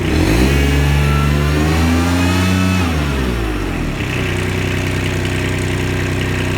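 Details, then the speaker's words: Kubota RTV900 diesel with a hydrostatic transmission problem, revved in high gear with handbrake on after charge pump, wear plates, filters, hoses and oil were replaced. Revs strongly and evenly and tries to move forward for the first time. "Right, let's get the gears and actually rev it and see what it does now. That would actually tried to move forward there. That was in high gear with the handbrake on."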